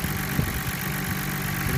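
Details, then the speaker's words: Nissan Skyline R32 GTR, cold, idling at about 950 rpm after gasket replacement and AAC valve adjustment. Soft, irregular low knock-like thumps are mixed into the engine note; the cause is unclear and it may be normal. "my question is when I adjusted everything back down the engine was obviously quieter but now I hear some kind of close to KN I don't know it doesn't sound like a KN it's not enough though"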